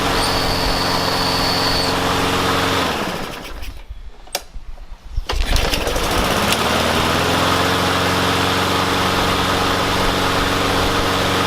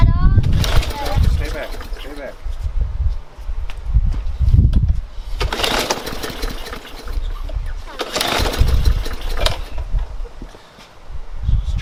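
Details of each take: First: Yard Machines mower with a Briggs & Stratton engine that wouldn't start, fixed with carb cleaner and a wire-brushed spark plug. It runs steady and even, dips briefly mid-clip, then picks straight back up to a smooth, healthy run. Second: Briggs & Stratton engine on a Yard Machines mower: repeated pull-cord bursts, engine turns over briefly each time but never catches; no-start blamed on stale fuel clogging the tank or carburetor after sitting too long.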